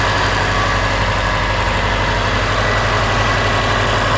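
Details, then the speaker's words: Subaru turbo, cold (about 162°), after installing GrimmSpeed couplers, pitch mount and turbo blanket, checked for vacuum leak; steady even idle, low smooth hum, no hiss or whistle; normal idle, no vacuum leak. "So far, seems good. I don't really hear anything."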